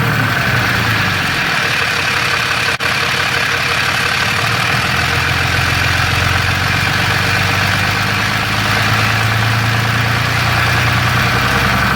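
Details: Third-gen Ram 6.7L Cummins with Jasper transmission, fairly new torque converter, converter bolts checked tight: steady diesel idle with loose uneven rattle from the bell housing; owner suspects cracked flex plate or torque converter, unconfirmed.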